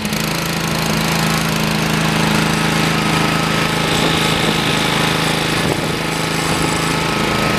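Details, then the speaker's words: Used Honda GCV160 5.5 HP vertical-shaft engine removed from a Karcher 2600 psi pressure washer with a failed pump: steady even buzzing run, constant pitch, no rod knocks or misses; engine runs normally. "you can see that it runs perfectly fine doesn't make any rod knocks or anything like that good typical Honda motor probably run forever"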